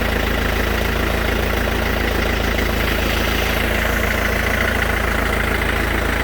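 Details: Mercedes S212 E 220 CDI diesel idling: steady low rumble with a regular clack about three times a second riding on it; cause not identified.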